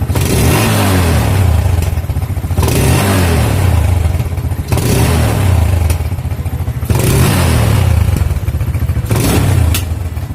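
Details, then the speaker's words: Yamaha Jupiter MX with AIS system, cleaned about a year ago: repeated throttle blips with sharp exhaust pops each time the throttle is released; backfire on deceleration, AIS suspected dirty or leaking. "nah kira-kira seperti itu ya jadi ketika dilepaskan dia mengalami pututusan pada knalpot"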